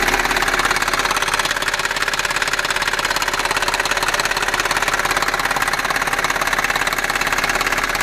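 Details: Audi A6 4F 3.2 FSI quattro running: sharp, even metallic ticking near 150 per minute over the engine hum, a persistent clatter and knocking, cause still unknown.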